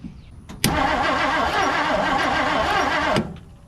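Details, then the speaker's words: 1959 Plymouth Savoy, new spark plug fitted, spark weak; starter churns steadily about two and a half seconds and never fires, crank no start; owner suspects ignition coil or ignition switch wiring fault. "It's got spark, but it's just so weak looking."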